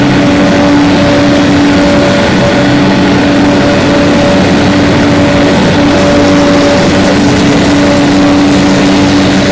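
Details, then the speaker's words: 2007 Finn B70RHD straw blower, Kubota V1505 4-cylinder diesel, 617 hours, just fully serviced, twin disc clutch: steady even diesel drone with a clean low hum, no knocks or misses; runs excellent. "Let that come back down to speed. Kick your clutch out. Engine runs excellent."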